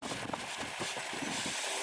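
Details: 2018 Ford F150 XLT 3.5L V6 EcoBoost, 60K miles, runs without issue: steady airy whizzing hiss at idle with no knocking; diagnosed as a bad PCV valve.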